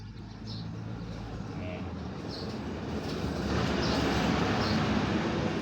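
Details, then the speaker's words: Slow-spinning electric fan after repair, tested on speed 1, which previously would not turn: steady even rush of air building as the fan picks up speed, no rattle or grinding; normal fan running. "ตอนนี้เบอร์1มันหมุนแล้วนะครับนี่เบอร์1นะครับแรงขึ้นมาแล้ว"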